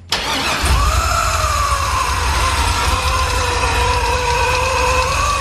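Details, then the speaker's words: 550 HP crate LS engine swapped into a 99-04 Mustang drift car, first start; rough idle with a steady mid-pitched whine that drifts slightly; they suspect induction noise from the intake, and the intake manifold was later found loose. "I think it's your intake oh is it just the induction noise Maybe"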